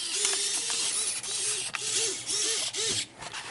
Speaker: I'm surprised he can get up for it being that bad, because this one couldn't get up on either side at first. I still hear it buzzing though, and that's not a good sign.